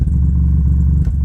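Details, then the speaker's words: Miller & Kreisel MX-70B powered subwoofer, signal connected: steady deep drone around 30 Hz, present even with no input, frequency changing with low-pass filter adjustment; amp breaking into oscillation, suspected dirty pot or high-ESR capacitor. "I do have a signal going into it. And I'd say that's probably the customer's problem. It's breaking into oscillation."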